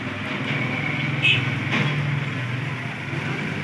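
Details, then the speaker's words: Pedestal fan running after bearing adjustment and replacing a loose old bearing with a new one: even low hum with soft steady airflow, no rattle, grinding or ticking; the earlier odd noise is gone. "यह आप देख सकते हैं बिल्कुल आवाज की खत्म हो चुकी है"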